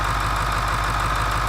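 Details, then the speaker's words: 2002 Ford F250 7.3 diesel with a no-start-when-hot problem, run cold with the valve cover off to check for oil leaking around the injector bodies: steady, even clatter at idle with a regular low throb and no misses or knocks. Nothing abnormal found; normal cold idle. "situation normal as best as I can see. There's nothing that looks to be coming up and around the injector bodies. All I can tell is everything looks pretty normal. Of course, it's not warm."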